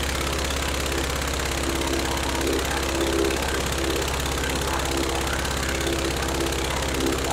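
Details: Rebuilt Praga B2 aero engine, last run 1 September 1939 on Hillson Praga G-AEYM, test-run bolted to a Vauxhall, at full throttle with lots of smoke: steady, hard-pulling roar with an even firing beat, no knocks or miss; sounds healthy.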